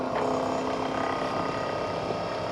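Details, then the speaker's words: Small battery-clipped oil extractor pump sucking oil through a tube down the dipstick of a Mercruiser 8.1L Horizon big block, 2003 Sea Ray 340 Sundancer: steady constant-pitch hum, no surging or rattle, oil feeding through the hose; normal pump running. "Hear the pump running. See how she does. Yeah, there you go. The oil just fed right through the hose,"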